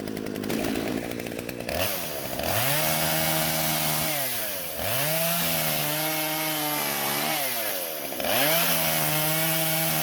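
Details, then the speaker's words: Husqvarna chainsaw, originally wouldn't start, after carburetor adjustment (L and H screws turned out slightly for more fuel so it won't stall): clean throttle blips, pitch rising and falling, no stumbling or stalling; runs healthy. "in the end i turned both screws out just a little bit so the carburetor would deliver more fuel to the engine and not stall out"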